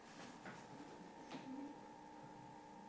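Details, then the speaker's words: Sinclair PC200 salvaged from a dump, being restored, booting an MS-DOS floppy after DIP switch settings fixed: quiet steady spindle hum with soft head clicks as the drive reads, working normally. "le lecteur se met en marche ok ça a l'air de commencer a essayé de dire quelque chose"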